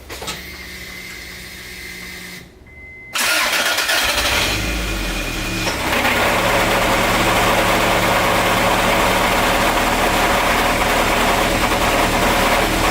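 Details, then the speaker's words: Engine cranks, fires and runs rough with a quick steady knock underneath; noise goes away when clutch pedal pressed and returns on release, first suspected clutch, now believed internal block damage needing block replacement. "the reason why I was thinking it was the clutch was every time my friends down it would go away but then I suppose I release the clutch you could hear it again"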